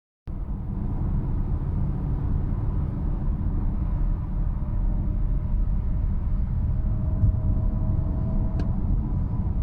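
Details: 2018 BMW 320i F31 at 105–110 km/h under throttle in any drive mode: faint steady mid-pitched whine over highway road rumble, nearly gone off the gas, pitch rising past 110, inaudible at 120; suspected drivetrain/transmission whine.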